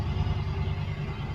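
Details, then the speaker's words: Yamaha V-Star 1100 (XVS1100) after carb cleaning, warming up on a fuel bottle while sediment is flushed from the tank: low, steady lumpy rumble, firing on both cylinders again, takes throttle fine, idles great. "So I'm just gonna keep doing what I'm doing here, and the bike is running really well. Running on both cylinders again, and takes throttle just fine. It idles great."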